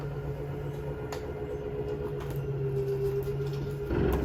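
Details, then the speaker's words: Jayco Jay Flight 34RSBS travel trailer front slide-out extending: even motor hum, then short harsh grind as it bottoms out fully out; normal end-of-travel grinding. "this is the same as the first slide out I showed you so it's going to make a grinding sound when it's all the way out"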